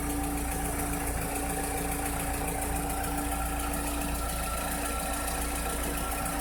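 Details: 2006–2007 VW SpaceFox engine at idle: a steady idle with a constant fine tick of about three or four per second and a faint whine; a strange engine noise whose cause is not identified.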